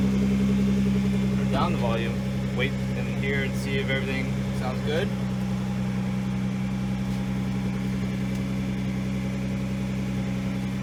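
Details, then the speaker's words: Nissan GT-R R35 after installing two ANSU 330 lph fuel pumps in a Visconti Tuning drop-in fuel basket for E85 flex fuel, battery reconnected: steady even low hum, no misses, knocks or surging; normal idle. "Yeah, everything seems good to go."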